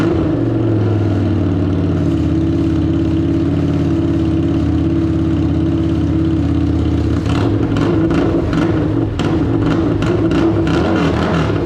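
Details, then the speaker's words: Harley-Davidson Street 750 (XG750) liquid-cooled fuel-injected V-twin, bench engine for a transplant, cylinder head hit in shipping, run briefly with no coolant: steady idle with firm low throb, then quick revs rising and settling cleanly; runs healthy. "It runs. Super excited, super happy. This bad boy is going to make for a great transplant into a nice little project that we got coming up. And it actually runs after it got beat up in that shipment."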